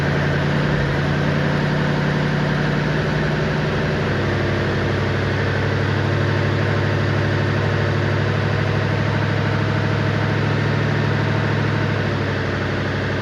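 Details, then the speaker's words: 1959 Chevy Impala convertible 348 V8, during cam break-in at idle: loud, lumpy idle with a raspy puffing chuff over the exhaust note; bad passenger-side exhaust leak, suspected at the donut gasket, exhaust leak. "Got a bad exhaust leak on the passenger side. But that's probably that donut get in there."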